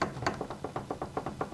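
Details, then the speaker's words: Garage door roller in its hinge after fitting a roller sleeve, replacing metal-on-metal contact: dull soft thuds about six a second as it is rocked, with the rattle gone. "there's no more rattle. I mean, you can still hear a little boom, thud, thud here and there, but the rattle has gone away."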